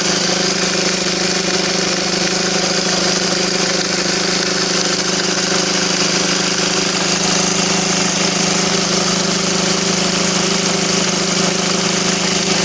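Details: SsangYong Kyron diesel at idle: loud uneven knock about twice a second over the clatter; crankshaft pulley damper found empty on removal, refilled with transmission oil and the knock went away.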